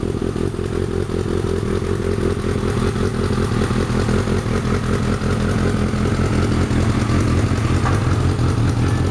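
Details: Kawasaki ZZ-R1100 D7 motorcycle at idle, loud multi-cylinder note with a rough clattering rattle over the exhaust; abnormal engine noise.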